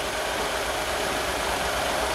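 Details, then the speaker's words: Astra, warm idle: lumpy, uneven, shaky beat; suspected blown head gasket causing misfire, checked with a blue-to-green combustion leak test. "on some head gaskets you don't get a lot of signs like it might not be um smoking out of the back it could just be missing"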